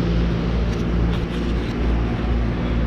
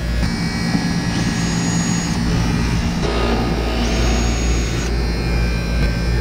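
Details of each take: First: Outdoor AC condenser after replacing noisy contactor (single pole with shunt, 24 V coil): runs smoothly with steady low hum and no buzz or chatter; old contactor was the noise source. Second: Outdoor AC condenser unit on 247 V gives a steady, loud low buzz, with music over it, from a worn contactor that is then replaced.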